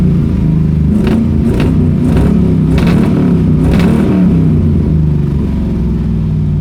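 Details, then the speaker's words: Pontiac Strato Chief with new homemade exhaust, much quieter than before, running unevenly with sharp exhaust pops about once a second; backfiring because it is out of gas. "good [ __ ] backfiring like a [ __ ] it is definitely out of gas"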